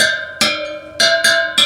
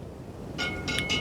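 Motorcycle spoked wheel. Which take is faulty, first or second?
second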